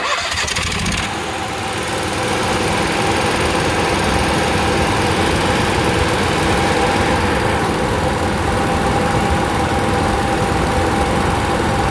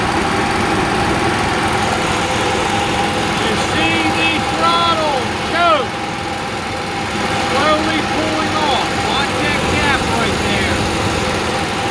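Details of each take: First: Onan QG 5.5 RV generator with a fault deliberately induced by hitting the governor lever: engine catches and climbs to a loud, fast, uneven run that never settles, speed not regulated. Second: Onan QG 5.5 RV generator, cover off, just cold-started after fuel-pump prime, electric choke heating to open: small engine settles to a steady even hum with no misses or surging; normal running after cold start.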